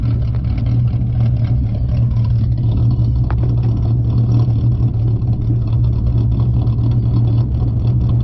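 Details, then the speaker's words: 4.0 V6 Ford Mustang with an idle chop mod, idle set to 725 rpm, in park: deep, choppy lope with rpm fluctuating between 690 and 790, less than at the earlier 675 setting; no other faults stand out. "the rpms i would say 690 to 790 is where it fluctuates it doesn't off fluctuate as much as when it was at seven i mean 675."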